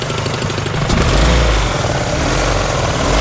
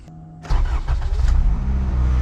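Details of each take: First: 1998 Acura Integra at idle: heavy, uneven slapping and thumping low down as the harmonic balancer flops loose; power steering and alternator (and likely AC) then lost. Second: 1998 Acura Integra after hammering the belt tensioner to loosen a slapping belt/harmonic balancer noise: brief crank, quick catch, even idle with no rattle or squeal, noise gone.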